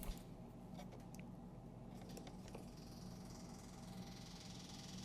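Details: 1967 Triumph Spitfire Mk3 with Weber carburettors, before first start attempt: quiet steady buzzing hum with fine rapid ticking in a still room; the electric fuel pump is running evenly.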